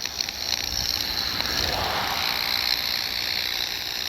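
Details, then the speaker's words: Ultrasonic receiver aimed at power pole hardware between black box and orange flag below high-voltage lines: steady high hiss with irregular fizzing crackles; suspected arcing, believed source of HF/VHF RFI, not confirmed. "that's the ultrasonic sounds it's putting off. I would be willing to bet it's some kind of arcing or something inside of there."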